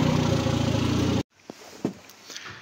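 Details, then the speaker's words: Škoda 1.4 MPI turbo after rebuild: about a second of smooth normal idle with no hunting; earlier high idle likely from disconnected hose, but starting remains intermittent, suspected misangled sensor on gearbox. "Tak voľnobeh normálny, tak ako má byť."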